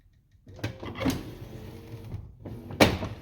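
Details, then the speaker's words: Lincoln Continental front door: power window motor hums, then a loud clunk from the triangle vent window as it lowers when the main window starts down, not going up; cause unknown, later improved. "it works good other than until it gets to the point where the main window starts to come down and just have a listen that clunking sound right there doesn't do it going up"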